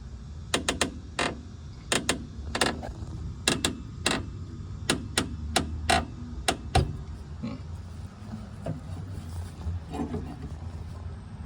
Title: W126 over control arm squeak ￼and creaking noise.